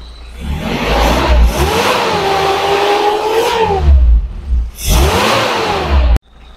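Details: Suzuki Espass 1,600cc on CNG (BBG) fitted with a low-pressure regulator, stock mixer, testing mid-to-high rpm: engine climbs smoothly, holds, drops and pulls up cleanly with no misfire or stumble; normal revving.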